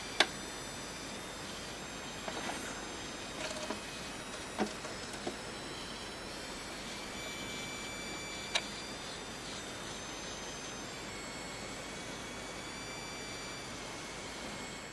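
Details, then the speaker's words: Packard Bell iMedia S3720 desktop, unplugged and switched off: faint steady high-pitched whine with light chirping continues after shutdown, coil whine, owner assumes a dead power supply after the loud fan behaviour. "Hey guys, take a listen to this, right? If I turn this off and unplug the machine, listen to this for coil whine."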